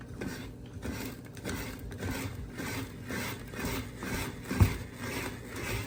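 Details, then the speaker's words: Cuisinart Food Spiralizer cutting a whole russet potato after the holder was turned from the spiky setting to match the round grooves: steady, even, unforced rasping strokes with no catching. It is slicing normally and fast. "but like it's really going through these things fast faster than what I could chop obviously great love it"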